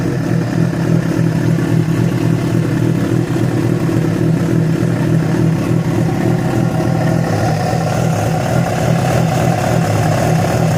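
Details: Yamaha FZ6 four-cylinder revving: busy rough drone swelling with revs, odd uneven note mixed in; strange noise began after riding ~70 km on two cylinders from a failed ignition coil connector, source unclear.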